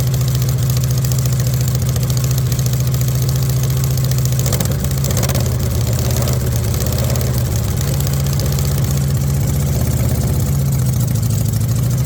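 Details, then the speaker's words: VW Beetle rat rod, first run after the build with copper shims added: deep idle with an uneven, lumpy beat dipping mid-clip. It runs a little rough with the carburettors not yet tuned. "It's running a little rough, but for not being tuned at all, carburetor-wise, I think we did okay."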